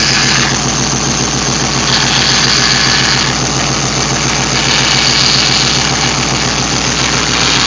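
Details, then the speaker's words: Hemi engine (aftermarket cam) idling lumpy with a high thin steady whine from the power steering pump after the fluid was drained, starved and sucking air. "here sounds like this power Ste talk with making that noise yeah that's what it is I drained the power steering it's just whining isn't it"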